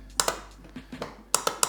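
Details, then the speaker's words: 2004 Honda TRX 350 ATV in neutral, start attempt: sharp dry clicks in pairs with no cranking, solenoid clicking but starter not turning; owner suspects the solenoid/starter circuit, unconfirmed. "it's definitely this guy that's clicking i bet you that this guy just sends power to starter"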